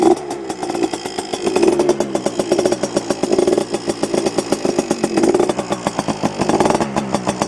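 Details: Yamaha PW80 two-stroke dirt bike, heavily modified with FMF parts, started after cooling down a bit: crisp buzz climbing and falling through repeated throttle blips, clean and responsive, louder than stock; idles about 2,300 rpm. Runs healthy.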